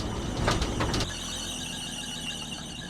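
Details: 1980 Chevy C10 short-bed stepside square body, left for dead and just revived, on its first drive: after a loud, rough start, a steady high, thin squeal rides over the running engine. Slipping drive belt squeal.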